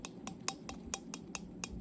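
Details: HUXWRX HX QD titanium suppressor shaken by hand. Sharp, light metallic clicks about four to five a second with a dead-air rattle inside. Owner suspects the sleeve or 3D-printed core welds have separated from the baffles; first baffles show slight erosion.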